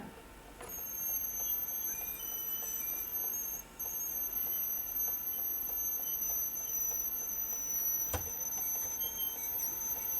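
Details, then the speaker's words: National NV-G12 VCR during tape playback: faint steady high-pitched squeal with light regular ticking, suspected excessive back tension, since slightly releasing the tension stops the noise; picture is fine. "still don't know what why is it making that noise I think what's happened is the uh the back tension is doing this that cuz if I release the tension slightly it will stop making the noise"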